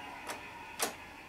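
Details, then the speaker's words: Aiwa CS-600C boombox: pressing tape buttons gives two dry mechanical clicks then quiet, no motor hum or spooling; cassette deck motor not running, tape deck does nothing while radio and line in work. "No. Won't do anything. And I can't hear the motor run."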